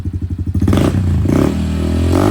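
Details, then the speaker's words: Honda CRF110 with CJR tune, stock cam and no clutch, after earlier suspected cam chain noise at startup; quick even rev-limiter cuts and clean crisp revs, better throttle response, engine healthy. "But throttle response is way better now on the bike. And, uh, the rev limiter is a lot more tasty."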